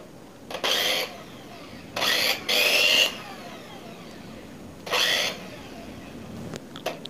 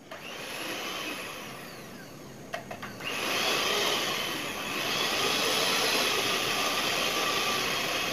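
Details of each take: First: Second-hand knockoff Philips hand mixer, before repair: short bursts of a harsh, buzzy motor whir with a coarse, uneven edge and vibration on start-up. The rough spin points to a loose, worn rear bushing; an earlier fault was in the motor mount. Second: New knockoff Philips hand mixer that had run rough, tested after a glued repair: a click, then a smooth, steady high-pitched motor whir with no rattle or shaking like before; it now runs clean.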